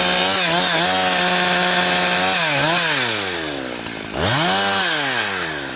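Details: Husqvarna 362XP Special chainsaw cutting firewood with a wrong ignition coil fitted by a previous owner: in the cut it won't hold full revs, pitch wavers and bounces down under load, "four-stroking" as the coil rev-limits, losing chain speed.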